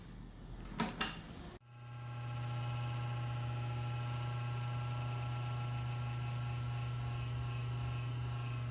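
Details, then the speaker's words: Desktop computer at power-on: after a couple of clicks, a steady low buzz with a thin whine; it stops after a while but lasts longer with each start, a sign the power supply is reaching the end of its life. "Ah pois é depois de um tempo esse barulho ele para mas como passar das vezes que você vai ligando o computador ele vai ficando cada vez mais longo e significa sua fonte está chegando no limite da vida útil dela"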